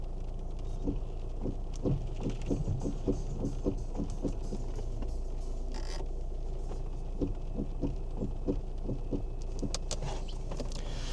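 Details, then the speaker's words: Kia Ceed, believed 2010, steering wheel being turned: low uneven lumpy thumping; worn rubber/hard plastic cog bush in steering column. "there's like a lumpy sound in the steering wheel. Now these cars are renowned for having a rubber or hard plastic cog go in the steering column"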